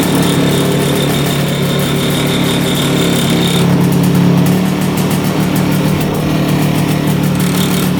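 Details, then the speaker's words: 1965 Tatran 125cc two-stroke scooter, 20 original miles, sat 40+ years in a barn, first start; steady buzzing idle, a little high, no knocks or misses; normal idle, though crank seals suspected leaking, smoking at full throttle. "she's alive holy cow Idols a little high though but she fired right up"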